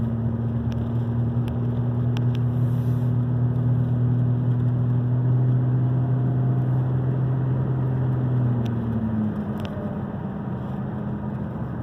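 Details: 2002 Ford Ranger: steady low hum or drone over the running engine, only during the first seconds of driving when cold, fading after about nine seconds and gone once engine temperature is up; cause unknown.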